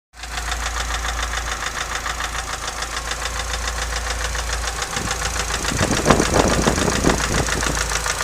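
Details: Nissan S15 petrol engine idling: fast, regular metallic rattle over a steady low hum; owner asks what the cause is.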